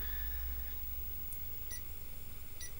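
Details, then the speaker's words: Sony XV-T33F video sketcher/titler (1990-91) under restoration, powered up in demo mode into a Sony KV6000BE monitor: faint uneven short beeps over a low hum while the picture rolls and looks dark; cause of beeping unknown. "can hear a little beeping sound coming from it, but obviously the picture's rolling."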